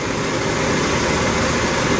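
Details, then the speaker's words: 1987 Ford F150 inline-6 EFI idling after replacing the EGR pressure feedback sensor (DPFE) behind code 32, rough idle and stalling; steady, even idle with no stumbles, misses or surges. Owner thinks timing may need slight adjustment. "This is really fantastic. It's running quite smooth."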